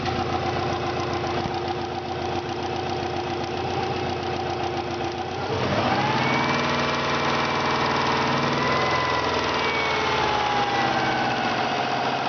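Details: 1995 Subaru Impreza WRX GC8 EJ20G turbo, still warm about two hours after running, lost boost: uneven shaking idle with light top-end knock three to four per second rising with revs; zero compression from holed piston, plus exhaust leak and cracked turbo.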